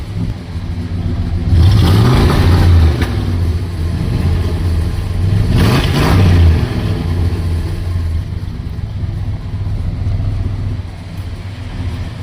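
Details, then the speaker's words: Barn-find 1972 Plymouth Fury with a 440 big-block V8, first running after sitting almost a decade; two clean throttle blips rising and falling smoothly over a steady idle, revving freely and running healthy. "fun is that yeah I am so excited I can hardly believe it actually runs but it runs and it idles and it sounds"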